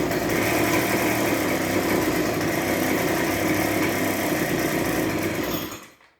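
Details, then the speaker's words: Discarded two-stroke backpack leaf blower, cold, restarted with a little choke: runs evenly with a rapid buzz for about five seconds, then fades and dies; owner suspects fuel not yet drawn through the lines, otherwise the carburetor may need adjustment. "okay that's a start so we're getting somewhere"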